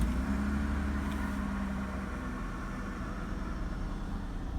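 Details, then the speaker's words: 1998 Holden Commodore Berlina VT after fuel pump replacement, first run after five years in storage, warmed a few minutes: low, smooth, even idle with no rattles or ticks; healthy. "smooth now rattles no funky noises smooth idle"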